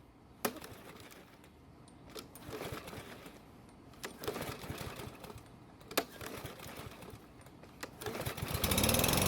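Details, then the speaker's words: Troy-Bilt mower, just after an oil change with the mower on its side: five sharp pull-cord yanks about two seconds apart before it finally fires on the last. Hard starting, possibly from tipping it, not confirmed. "all right so this time it took even more polls to start it which is not good yes it could have been because I had the mower on its side doing the oil change"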